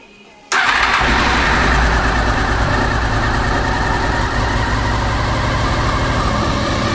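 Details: Honda VFR800 after ECU and HISS system replacement following a suspected bad ECU, fuel pump priming 3 seconds: short crank then instant catch into a steady, even idle that holds without stumbling; starts and idles properly.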